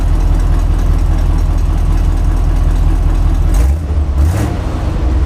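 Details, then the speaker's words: Grain truck after repairs, exhaust leaks fixed, dual exhaust fitted, just run: deep, steady idle with even low throb and slight exhaust bark, much quieter than before, no puffing or ticking; normal idle. "Yeah, she got a little bit of a bark to her. I bet it sounds good loaded."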